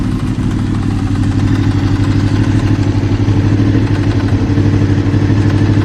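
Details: Honda VFR800 VTEC V4, about 56,000 miles, warm above about 80C, low revs around 1500-2000 rpm: uneven knock about three per second, seemingly from the right side, possibly the rear cylinder; engine knock, unknown origin.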